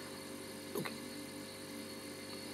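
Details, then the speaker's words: Climadiff CVP 172 wine cooler compressor running with a double noise: dull motor hum plus a metallic, bell-like ring; owner suspects a pipe connected to the compressor is touching the underside of something. "y a un il y a un double bruit il y a le bruit du moteur qui est un peu sourd et il y a un bruit comme un bruit de métal un bruit de cloche"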